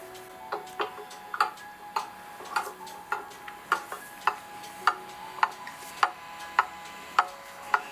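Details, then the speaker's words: Pendulum clock movement set in beat, heard through a cheap sound amplifier clipped to the clock plate instead of a Timetrax beat amplifier: crisp ticks about two a second, evenly spaced, matching tick and tock; running in beat. "You'll remember how quiet this movement runs when it's in beat."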